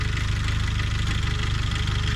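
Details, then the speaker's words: Jeep Wrangler JJ engine at idle: fast, even diesel-like tapping, steady; caused by a defective timing chain, fixed by replacing the chain again; timing chain tapping. "And so anyway, long story short, my timing chain is what was causing this noise right here in the video where I did the sway bar disconnect."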